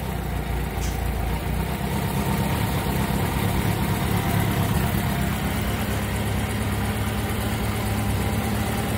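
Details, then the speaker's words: 1983 Kawasaki Spectre 1100 four-cylinder after carb rebuild and sync: low, even idle just under 1,000 rpm with a smooth steady rumble and no stumbling; idles cleanly. "So we got a nice steady idle out of it. What are we idling at? A little under 1,000."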